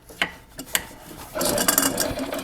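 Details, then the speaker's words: 1995 Yamaha G14 gas golf cart that won't start: a few clicks, then a brief whirring chatter as the starter generator spins weakly without cranking the engine, showing worn brushes. "here's that little bit of whirling over that tells me that the starter generator needs brushes now"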